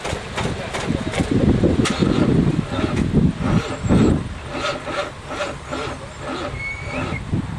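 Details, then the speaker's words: 1963 Allis-Chalmers front end loader with 1978 Monte Carlo 305 V8 swapped in, parked outside 5.5 years: slow, laboured uneven cranking, engine never catches; owner unsure if battery connection or seizing motor, "awful tight"; slow crank, no start. "She's awful tight. Well, I think I gotta see if it's a battery connection or a seizing motor. No luck so far."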